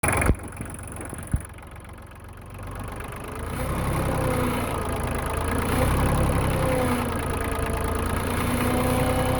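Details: LK3054 diesel tractor idling after a low-speed trip, outside temp 45°F: odd steady whine and hum over the engine, located near the hydraulic pump.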